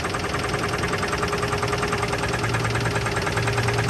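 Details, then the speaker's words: 1983 GMC S15 Jimmy 2.8L, not run in 15+ years, first start after fuel was added: rough idle with a repeating knock about three per second before shutdown. The oil pressure gauge didn't move and no oil reached the lifters; lack of oil pressure is suspected. "didn't sound like it was building oil pressure there's no oil pressure coming up out of these lifters on this side I know the oil pressure gauge just pegged out and it didn't move that sounded like it had a knock too"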